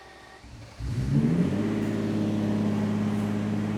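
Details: Lamborghini Diablo, start for its first drive after sitting 14 years. The engine catches, flares up sharply, then settles into an even idle with no knocks or misfires. Healthy engine revving.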